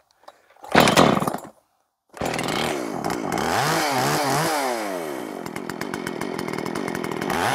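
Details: Makita 5600 (Dolmar-built) chainsaw with freshly sharpened chain (rakers possibly filed too low): revs up and holds a steady clean scream through the cut without bogging; cutting much nicer than the dull chain.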